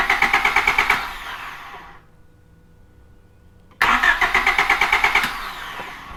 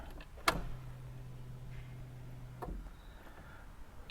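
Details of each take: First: Honda Civic no-start after an oil service and spraying cleaner into the throttle body, spark tester on coil output, fuel smell present: two bursts of steady cranking that never catch; no spark from the coil. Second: Car that misfired, shook violently and died after a home oil and filter service, now won't start: key-on click, then a steady low electric hum for about two seconds and another click, fuel pump priming normally at the rear; tank half full.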